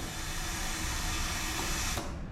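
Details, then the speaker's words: 2007 Harley-Davidson Heritage Softail with brand-new fuel pump and hoses: steady hissing whir as the fuel pump keeps running, not holding pressure to shut off; new fuel pressure regulator suspected of popping off, bike had been popping lean. "there's something wrong with the new fuel pressure regulator cuz it's popping off listen carefully see it's not holding pressure to shut"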